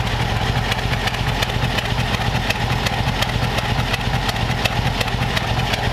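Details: 1932 Ford Roadster flathead V8 with new custom true dual exhaust, in neutral, run briefly in the shop without radiator: even regular low-rev burble with crisp exhaust pulses, no knocks or misses; healthy idle.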